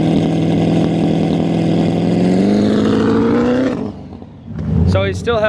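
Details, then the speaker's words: Turbocharged car after injector replacement, not yet retuned on dyno, following a cracked turbo manifold repair for boost loss: rising drone turns rough and uneven under load before backing off, breaking up worse, smelling rich; suspected tune issue. "he's still having the problem with it breaking up. It's probably a tune issue as of right now. Just a tune? It's breaking up worse."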